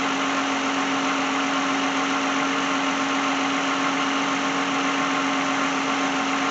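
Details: 2010 Lexus brought in for an alternator replacement, engine idling while charging voltage is checked at about 13.9 V: smooth, even idle with a steady hum, no knocks, misses or hunting; the engine sounds healthy.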